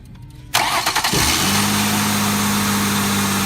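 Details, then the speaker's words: 2003 Ford Taurus 3.0L 24-valve DOHC, cold, code P1506: starts and flares to a steady idle near 2000 rpm that won't drop; high idle from a vacuum leak at the PCV valve. "right there we know the idle is way too high about 2,000 RPM it is cold but it's too high"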